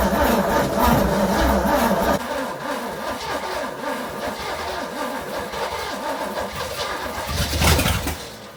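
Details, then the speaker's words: 1969 Pontiac GTO 400, three-speed, first start after sitting since 1978, new distributor cap, old plugs: cranks, catches, runs rough a few seconds, surges, sputters out; starving for fuel, carburetor needs rebuilding. "it looks like it'll run dude it just needs fuel constant fuel"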